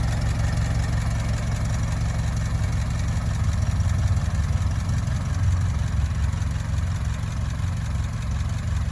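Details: Barn-find Ford Model T farm truck, first start in many years after simple repairs: low steady idle with even deep chug, no knocking or misfires; normal idle.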